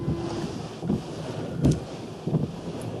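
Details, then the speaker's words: Wipers after replacing the rubber blades (one blade had been knocking on the glass and clearing water poorly): soft, quiet swish about every three-quarters of a second, no knocking or chatter, now running silently even on dry glass; normal wiper operation. "започнаха да работят безшумно дори на сухо стъкло."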